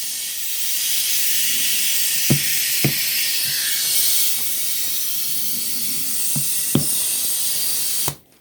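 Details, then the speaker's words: Lawn mower tire being inflated after a failed patch: steady loud hiss of escaping air with sharp pops; the bead isn't seating because the valve stem was sticking out. "While I still got that on there, I know the bead is not going to probably want to seat because it's going to be air moving out definitely right here."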